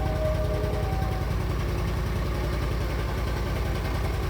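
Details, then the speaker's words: Argo ATV running after the fuses were replaced, with a new carburetor, fresh oil change and new fuel pump; it had failed after sitting all winter: low, even idle putter with a steady pulse and no misses or knocks. Normal idle. "it's running. New carburetor, fresh oil change, new fuel pump. I'm ready to go."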